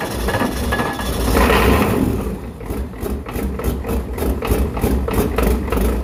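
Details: Ford 7.3 IDI turbo diesel from a 1993 truck, test-run out of the vehicle before a swap, low on oil: clattery idle with a steady low rumble and regular knock, running evenly; seems viable with apparent oil pressure.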